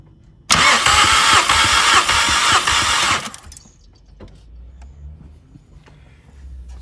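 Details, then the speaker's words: Mk5 VW Golf GTI with a cylinder 3 misfire, compression test with fuel pump fuse 27 removed: starter cranks with even pulses about three a second, no firing; cylinder 1 reads 190 and cylinder 2 195, both healthy. "that is uh 190 so that's pretty good cylinder number two 195 on that one so again pretty good compared to what I've seen online"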